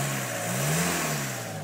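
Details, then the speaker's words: VW Passat TDI, engine revved a few times: clean rise and fall in pitch, just the usual diesel clatter, no odd noises or rattles; a healthy diesel. "well other than than the the rattle that a diesel should make go ahead and show you the hood up under the hood be"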